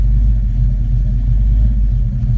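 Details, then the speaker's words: Engine idling after O2 sensor fix that cured excess fuel robbing power: deep, steady idle rumble with no misses, knocks or hunting; settles smoothly and seems happy. "i'll crank it up and show you the idle and airfield so i will keep in touch that's it idling right there"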